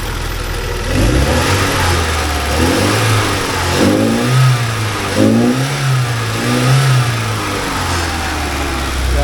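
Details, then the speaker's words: 1979 Porsche 924, newly running with fuel pressure still high, revved in clean repeated blips that rise and fall smoothly from a steady idle with no stumble. Normal revving. "all right so it's running yay I think it'll even rev now"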